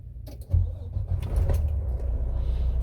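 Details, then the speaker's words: Volvo D13 semi-truck engine at about 1.67 million miles, after a top-end cam repair for a loud knock: catches after a brief crank and settles into a soft, even low rumble with no knocking; clean start. "yeah so my engine is starting smooth and and soft you know i mean no extra nothing"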